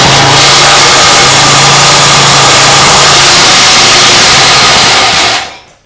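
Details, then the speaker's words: Lawn mower engine converted to outboard, fixed-throttle engine, in neutral: loud, harsh, rough roar with a hissing high edge over a steady low hum, then engine cuts out; abnormal noise, owner wonders if neutral needs adjusting, cause unclear. "a what is that awful sound it was in neutral what what is happening that sounded really really really not good what was that"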